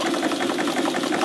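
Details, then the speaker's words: Bolton 9 triple expansion model steam engine on a homemade vertical boiler, rings recently changed; fast chuffing with slightly irregular spacing between exhaust puffs; uneven rotation, owner suspects altered steam timing on the middle cylinder. "And as you can hear, the triple's going okay, although I did some work on it recently, changing the rings, and I think I must have altered the steam timing on the middle cylinder, because it's a little bit uneven, that rotation of the engine."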